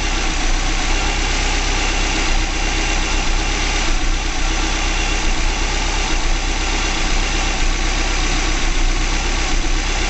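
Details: 2005 Subaru Legacy GT engine at its first start after a DIY rebuild, fuel nearly empty, no leaks seen, with some exhaust smoke expected from debris burning off. Even, steady idle rumble with no ticks, knocks or stumbles: normal idle.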